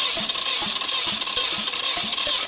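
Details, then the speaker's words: 2002 Subaru Impreza WRX wagon with a JDM EJ205 swap engine, cranked on a jumper pack during a compression test; fast, even cranking beats with no weak stroke. Healthy compression, 185 psi or more on each cylinder. "So that's really good compression. We got 85 and above on each cylinder. 185, my bad."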